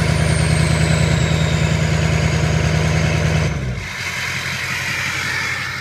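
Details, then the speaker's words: Ford 6.0 diesel idling during Ford IDS VCM II turbo vane test, heard at the exhaust as vanes sweep from closed to open: steady drone with faint falling whistle, then exhaust note drops and softens; vanes moving freely, normal sweep. "so I'll run the test again and I'll go back to the exhaust and you can hear how the exhaust changes"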